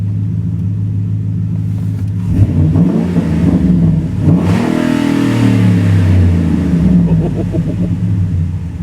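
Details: 2012 Ford Raptor 6.2 V8, about 247,000 miles, after new oxygen sensor and cleared codes: deep V8 blips up and settles back cleanly, no misfire or stumble; normal revving.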